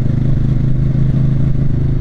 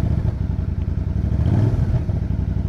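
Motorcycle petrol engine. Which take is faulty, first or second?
first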